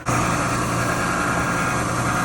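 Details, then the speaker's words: Frigidaire gas dryer after repair of a suspected broken belt (new belt and rear bearing), reassembled and test-run: steady even mid-pitched hum, no scraping, thumping or squeal; drum spinning quiet, motor healthy, normal running. "let's see if it starts up yeah spinning good quiet dry yeah looks good"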